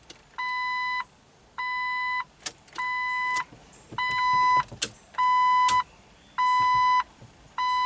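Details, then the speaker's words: 2005 Jeep Wrangler with an intermittent no-crank and no PCM communication, key on and engine off, check engine light popping on. Steady two-tone chime in bursts about every 1.5 seconds. Repeated warning chime; cause not identified. "Oh, that beep's so annoying. What's it beeping about?"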